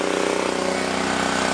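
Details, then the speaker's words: Previously seized auction generator, throttle stop refitted, at full throttle producing 240 volts and drawing about 1500 watts: steady, fast single-cylinder thrum holding an even beat under load, no hunting or misses. Normal running under load. "So we're up to 240 volts. So we're drawing about 1500 watts right now and it's running great."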